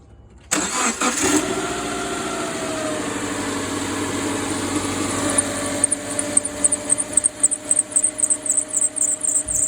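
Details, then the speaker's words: Car engine starting and revved, rapid high-pitched chirping/squealing over it; caused by two loose accessory belts, tested by turning the steering wheel (power steering belt) and switching A/C on and off. "this chirping or squealing noise was actually caused by two different accessory belts being too loose"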